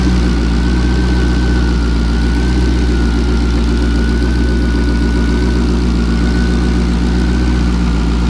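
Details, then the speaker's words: LS2 V8, about 112,000 miles, cold start after sitting three days (heads 44°, coolant 55°, oil 40°, oil pressure 34 psi), tuned idle about 700 rpm: deep, steady, smooth idle with no ticking or knocking, healthy. "it's been sitting here for like three odd days without starting and it will start up no issues and make no noises"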